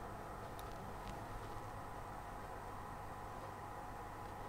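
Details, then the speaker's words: PS3 Super Slim with power-on/off fault, booting into safe mode with no thermal paste applied: steady even rushing whoosh, fan running flat out, probably because the chip is overheating. "that fan is going to go fast there's no thermal paste on there"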